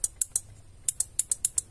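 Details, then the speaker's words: Original Toyota Kijang door lock module: sharp dry clicks in quick bursts from the left relay only, while the right 5-pin relay stays silent with no vibration when touched. That dead relay is to be replaced. "jadi ini yang bagus ini kelihatan dari dipegang tangan yang getar ketik ini ini yang ini tidak bergerak maka kita ganti"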